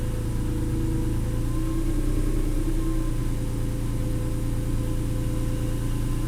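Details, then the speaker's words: 290,000-mile Acura NSX after a 1,200-mile drive and track day at Nelson Ledges: warm idle with a faint thin steady whine over engine hum, louder as it warms; isolated to the alternator, worn bearing suspected; belt tension to be loosened to test. "so having distinctly isolated the sound down to the alternator"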